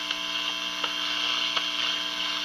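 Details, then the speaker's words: National NC-60 Special receiver, unrestored AA5 circuit: constant loud buzzing hum with faint ticks when the beat frequency oscillator is off, vanishing when it is on; suspected feedback from signal fed from the first RF stage's cathode circuit. "it picks up everything better with it on i guess there's a little regeneration going on there but when i turn it off i get a i get a loud hum uh it still picks up signals but"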